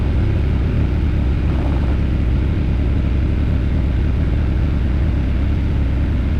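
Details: Aprilia Tuono V4 idling after valve clearance service and fresh oil: deep dense steady rumble, no ticks or knocks; initial chain clatter gone once oil pressure built, no check engine light, healthy.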